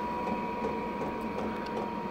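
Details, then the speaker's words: Diesel heater installed in an allotment shed, started on low power setting 1.4; battery voltage dipped to 10.6 V before ignition and recovered to 11.7–11.8 V. Steady fan whir with constant mid-pitched hum as it runs down at temperature; normal running. "and then of course once it was ignited it draws less power and it's steadily climbing back up it's at 11.7 11.8 now and as you can hear the engine is running down now because it's up to temperature"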